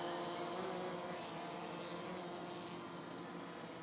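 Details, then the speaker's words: DJI Phantom 3 Professional quadcopter just after takeoff: a steady, even high-pitched buzz like a nest of bees, fading as it flies off; normal and healthy in flight. "perfect it sounds very loud it sounds like a nest of bees"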